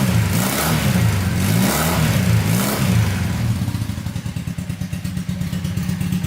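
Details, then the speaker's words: Honda trike with swapped CM400 automatic twin after cleaning completely clogged main and pilot carb jets: several clean revs then an even steady idle, sounds a lot better; still leaking gas. "all right car plan we're back in Action here sounds a lot better"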